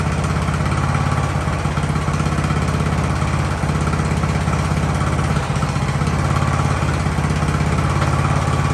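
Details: Ariens hydro-drive riding mower, sat at least two years, in about 30-degree cold: steady, even single-cylinder idle with a low, smooth thrum, no surging or dying out; idling normally.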